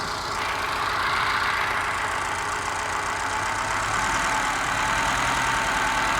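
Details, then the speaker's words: Moke engine bench-tested with fuel squirted down the carburettor. Steady idle with a regular pulse that occasionally stumbles, missing on one cylinder. Compression tested excellent and there's no smoke, so a sticky valve is ruled out. Carburettor mixture is suspected, not confirmed. "Well, it's running okay, other than it's missing a little bit, but it just could be mixture with a carby. Could be a sticky valve. Definitely missing on one cylinder."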